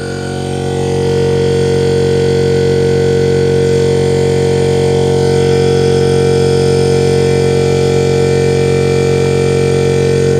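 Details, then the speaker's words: Air compressor fitted with a newly installed SSR soft start, recorded charging (inflating the tank) ahead of a load test; motor comes up smoothly and holds a steady even hum while pumping, no knocking or rattles; normal compressor charging. "I'll record the compressor charging process itself. We'll do a load test, which means I'll blow air out, and you'll see how it works. So for now, I'll record myself inflating the compressor."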